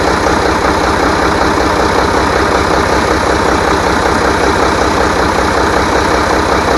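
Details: Rebuilt International DT466 diesel from a loader, previously knocking, first run after priming: loud, even diesel idle with a smooth steady pulse and no knocks; running healthy.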